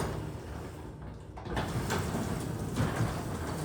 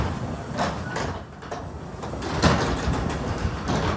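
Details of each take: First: Garage door after greasing all moving parts and lubing with WD-40 silicone, cycled once or twice: soft, low rolling hum with only faint rattles. It now runs quiet and smooth. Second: Garage door with a 2005 AC chain-driven opener, after replacing hard plastic rollers with closed-bearing nylon rollers but before greasing: continuous rattling rumble during travel, then clunks as it stops. It is somewhat quieter with less track noise, but still noisy.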